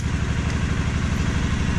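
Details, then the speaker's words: 2016 Suzuki KingQuad 750AXi fuel-injected ATV at idle; quiet, even low thumping with no misses, rattles or knocks. A quiet, healthy engine. "there it is it is a pretty quiet machine overall"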